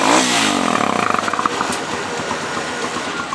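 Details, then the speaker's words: New Jector motorcycle with stock exhaust: sharp blip then a brisk, even, loud raspy popping idle; running normally, but the owner dislikes the sound and the pipe is being swapped for a softer-sounding one. "Les comento que el amigo, por capricho, por gustos, en gustos y colores nadie manda, y le recomendamos que cambie por otro tubo que tenga un sonido más fino, más suave. Vamos a escuchar este sonido que el amigo no le parece, no le gusta."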